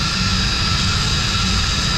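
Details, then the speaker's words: Commercial kitchen centrifugal downblast exhaust fan on ABB VFD, greasy and dirty: steady high-pitched belt squeal over constant fan roar; belt intact and tension okay, suspected dried out from heat, belt replacement planned. "I think it is time for a new belt. Even though like it's in decent shape, as where like it's not broken or anything like that, and the tension seems okay, it's not like loose, but that sound, you know, maybe it's just too much heat and this thing just dried up."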